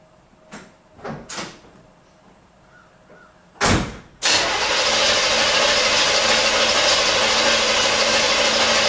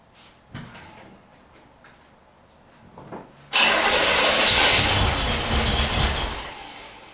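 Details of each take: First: 1977 Corvette V8 not started in over 6 years, distributor disconnected so it cannot fire, cranked after fresh oil to check compression: after door thumps, the starter spins the engine at a steady even pace, healthy cranking. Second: 1977 Corvette, not started in over six years, cranking with fresh fuel: faint pops then a loud burst and backfire as it briefly catches and dies; no start yet.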